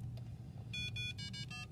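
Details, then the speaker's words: Vernier LabPro data-collection interface just plugged into its power cord. A short run of bright electronic chirps over faint room hum is the normal power-up beep showing it is getting power; no beep, or repeated beeping, means a bad power connection. "okay so there you hear that and you know that the lab pro is getting power if you don't hear that um or if it does a lot that means this connection is messed up"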